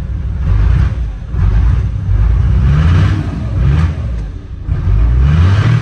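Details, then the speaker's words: Chevrolet Silverado diesel after replacing the injector lines: deep rumble surging unevenly about once a second, lumpy and hunting, a cylinder not firing while trapped air clears from the injector lines (bled by cracking lines while running), then smooths out. "às vezes eu vou lá na frente e abro os tubo injetor dela com ela ligada PR dar mais uma não tá fazendo cilindro ó"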